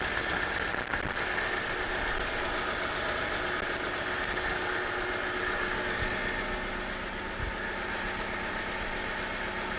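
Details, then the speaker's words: 1997 Jeep Wrangler on its first start after a long sit, with a new starter, unknown history and no coolant. Uneven, lumpy idle with a stumble and a light flutter at the back, starting to even out: a rough idle. "Not bad for an old feller. And we got to remember I hear a bit of a flutter at the back."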